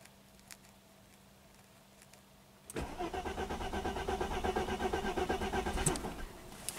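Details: 1995 Mercedes-Benz E320 wagon, 285k miles, crank-no-start, owner reports no spark despite new coils and plugs: steady cranking at about three turns a second with one faint try to catch, but it never fires.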